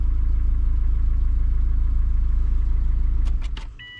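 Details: Freshly installed 2003 Subaru Forester engine on a cold day, fired first try after a loose plug was seated: steady, even idle pulse around four beats a second, no misses or ticking, clean shutdown. Healthy, no oil leaking at the head gaskets.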